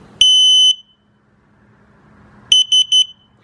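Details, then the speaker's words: Rostra 250-5110 Pro Backup Kit parking sensor test rig: one long high beep at power-up, then three short beeps, the fault code for sensor 3 missing or defective, since sensor 3 was deliberately disconnected. "So you hear those 3 short beeps right afterwards. That indicates sensor 3 is not seen or is defective."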